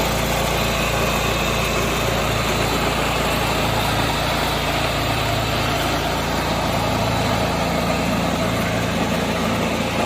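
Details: 1986 John Deere 216 lawn tractor after carburettor cleaning and PTO adjustment, driven down the driveway: small single-cylinder engine holds a steady, even drone with no misses, surging or knocks.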